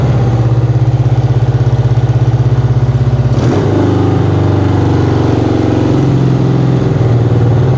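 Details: 1975 BMW R90 twin on its first start after 12 years of poor storage, started right away once the battery was recharged: a steady, even low twin thump at idle, a blip, then it settles smoothly. It smokes a little from an unknown source.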